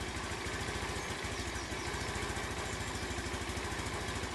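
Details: Honda C90 fitted with an aftermarket OO Racing 19mm PB-style replacement carburettor, throttle cable shortened for free play and cable adjuster set; small single ticks over at a steady even beat without hunting or stumbling; normal idle.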